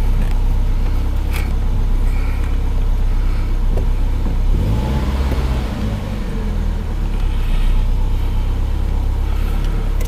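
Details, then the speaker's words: Samand petrol car after idle air control valve (stepper IAC) replacement, fixing hunting idle, stalling and hard starting: starts at about 1500 rpm then settles evenly to about 1000 rpm; normal idle. "сразу полторы тысячи и все оборотики падают на 1000 да я сомневался что он вообще заработает но пока он вроде бы заработал"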